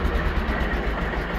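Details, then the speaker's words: Simplicity 7112H garden tractor with Briggs engine, warmed up after driving, carb just adjusted: steady even low thump about eight times a second, no smoke, rattles or misses, good throttle response; running normally. "this thing is running absolutely perfect there's no smoke no noises no rattling very good throttle response"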